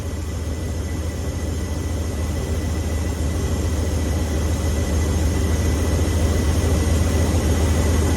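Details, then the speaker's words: V8 truck with a two-barrel Holley 4412S carburetor during tune-up: deep steady idle with a soft uneven bobble three or four times a second as the idle air/mixture screw is turned in; backing it off stops the bobble. "We go in a little bit. Did you hear it bobble? Back it off till it stops."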